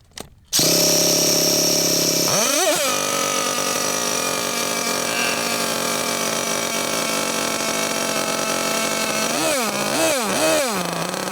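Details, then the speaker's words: Losi LST XXL2 1/8-scale RC monster truck, .31 cubic inch gasoline two-stroke, first run tuning at elevation: high, thin scream that surges, wavers, then sags and dies; high-speed needle barely out, mixture too lean. "okay so it was too lean obviously we could hear it was too lean"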